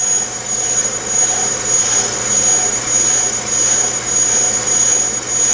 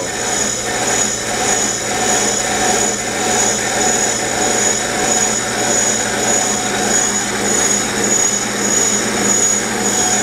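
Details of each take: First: Bench brake lathe cutting a rotor: steady high-pitched squeal over the cutter's hiss, which is rotor vibration; a spring damper device minimized it and pinching it helped further. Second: Steady, unbroken hiss-and-whine from a bench brake lathe cutter working evenly all the way around a spinning brake rotor: consistent, normal cut; a skipping sound would mean the cut is not deep enough.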